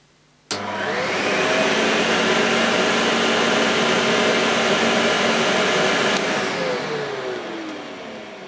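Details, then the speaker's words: Vintage Electrolux 560 Electronic upright vacuum on its first try after unboxing, switched on at the switch: the motor snaps on, spins up to a smooth steady whine and winds down evenly. Motor runs normally. "that seems fine"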